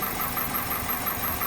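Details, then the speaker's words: 2001 Toyota Corolla 1.8 with no codes, injector cut-out test: uneven idle under hissy engine bay with an irregular stumble; cylinder 3 misfiring at idle. "ha defendido el número 3 está fallando así de sencillo"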